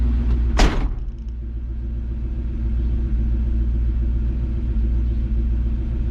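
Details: Engine runs with a steady low rumble, no stumble or surging, after a door thunks shut; test run after changing carburetor metering rods to lean it out; runs much better, normal running.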